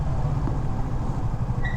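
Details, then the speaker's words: Yamaha FZ16ST with newly replaced rear drum brakes: over low engine rumble, a short high squeal as the rear brake is lightly applied; owner suspects new drums still wearing in, lubrication didn't help. "Sometimes if I engage the rear brake like slightly a bit, it starts to squeak."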